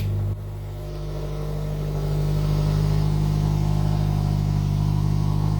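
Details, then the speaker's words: FR-S with a freshly rebuilt engine, first start after installation: steady, even low idle with a smooth rumble and no knocks or ticks; engine runs cleanly. "here we go so close [Laughter] yes and it sounds good"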